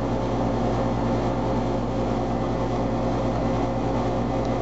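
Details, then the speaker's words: 1997 Carrier 3-ton 10 SEER base-model condenser, first start of 2011, about 75°F outside, before spring cleaning: steady even compressor and fan hum, no knocks or rattles, quieter than usual; normal running. "running quieter than usual the 31097 carrier i will have plenty videos of it"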